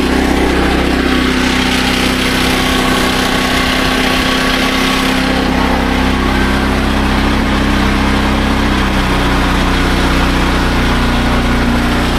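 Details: SDMO 5000W generator with a Briggs & Stratton engine (about 18 hp), after restoration, load test with about a 1500 W heater and a light: steady buzzing note holding speed, no hunting or surging; normal under load.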